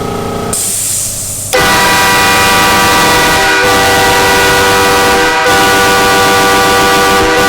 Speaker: i think it's loud bro dude i held up like damn near 10 seconds